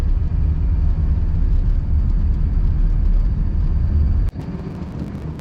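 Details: 2005 Dodge Ram 2500 diesel after a water-in-fuel sensor repair and fuel system priming: deep, steady rumble at an even idle with no knocks or misses; sounds like a healthy engine running smoothly.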